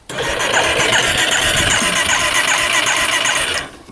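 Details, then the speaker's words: 1989 Yamaha Big Bear 350 4x4 ATV that quit suddenly about a year ago: the starter spins it evenly, about four beats a second, but it never fires; owner suspects low compression, possibly a spark plug. "I tried cranking when I was there it would not fire so I don't know what's going on with this thing I'm feeling like it's low compression based on how it's turning over"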